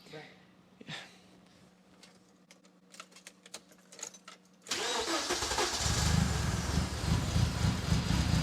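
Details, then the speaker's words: Freshly rebuilt BMW S14 engine, first start: several seconds of cranking, then catches and runs rough, loud and a little rich on throttle, won't settle to idle; owner thinks it needs break-in and adjustment. "yeah it won't idle basically right so yep okay so it's not idling very well"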